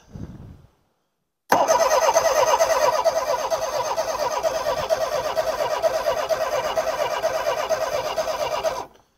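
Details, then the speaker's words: Homelite Stingray boat engine after ultrasonic carburetor cleaning and fuel-system work: steady rhythmic cranking about seven seconds that never catches; fuel reaches the line, but owner suspects weak fuel pressure or no spark; crank, no start. "give her a crank come on girl yeah it might not be well I don't think it's going to start today it doesn't sound like it wants"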